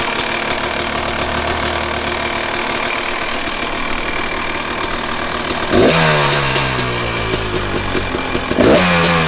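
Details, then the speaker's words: 2019 KTM 250SX two-stroke with Lectron Billetron 38 Pro carb: crisp, steady popping idle, two quick throttle blips rev up and drop straight back; idles clean, though owner suspects it runs lean and detonates on track. "well it idles really well which I'll show you here in a minute but I think it's running pretty lean"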